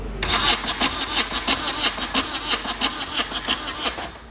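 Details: VW diesel swapped into a Suzuki Samurai, injectors loosened and glow plugs used: slow even cranking pulses, about ninety a minute, with sharp hissing bursts each stroke, never catching, with an ether smell. The owner believes the injection pump needs a rebuild.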